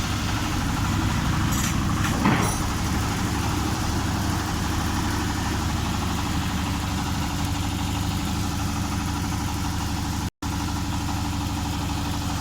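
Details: Honda Vario 125 scooter idling smoothly, no hunting or stumbling, a brief clap early on; test run after replacing the throttle position (TPS) sensor and fixing the faulty temperature sensor that caused mid and full-throttle hesitation.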